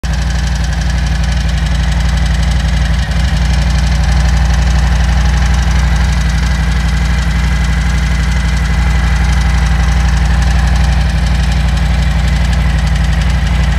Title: What is this ticking noise? — 2020 Harley-Davidson Low Rider S - FXLRS - Milwaukee 8 - Lifters??